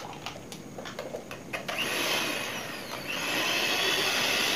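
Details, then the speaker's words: Philips-copy (KW) food mixer after repair of a worn rear bushing, thin motor mount reinforced with glue: a few ticks at switch-on, then a smooth, even high-pitched whir with no rattle or shaking as before, normal running. "Suaranya itu lembut. Terus enggak gemeteran lagi kayak tadi waktu pertama itu dihidupkan gemeteran."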